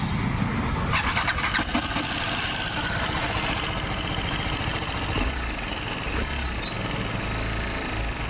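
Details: TVS Apache RR310 at idle with a new timing chain tensioner: persistent light clatter from the head continues, pointing to a worn camshaft.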